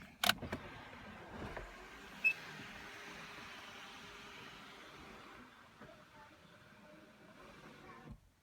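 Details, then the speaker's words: 2006 Audi A8 sunroof after the grinding wind deflector (air dam) motor was disconnected by unclipping its two pinch tabs: roof moves with only a faint steady motor whir, no grinding or clicking; deflector no longer works, grinding confirmed to come from that motor. "and not a sound obviously the air dam is no longer functioning as designed but since most cars I don't think even have that feature I'm assuming it's not the end of the world yeah totally quiet"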